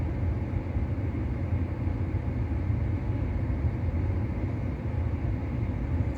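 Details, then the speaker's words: On a first-gen Kia Soul EV with a dealer-repaired heat pump, cabin set to 20°: a steady, even low rumble as the compressor runs and the PTC heater dies down; the heat pump is working as it should. "yeah so it'll it'll uh uh calm down so I guess it depends on how cold it is outside and depends on what you're saying the interal temperature on uh but I've set the internal to 20° so uh yeah it'll just kind of die down and that's it that's what the heat pump is supposed to be doi"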